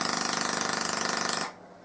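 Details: Full-bridge PLL solid-state Tesla coil in low-power tests: harsh buzzing arc pulsing about fourteen times a second, then cutting out, interrupted-like with no interrupter fitted; cause unclear.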